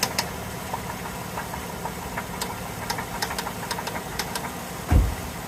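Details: Chrysler 3.6 Pentastar V6 at idle: quick, light metallic ticking on a steady idle, keeping pace with the engine; top-end tapping and ticking, cause not stated.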